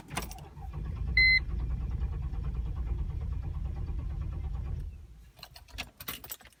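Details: Mercedes-Benz ML500 W163 that stalled uphill on low fuel (7 miles/11 km remaining): steady cranking rumble at about three turns a second for nearly five seconds, never catches; cause suspected, not confirmed.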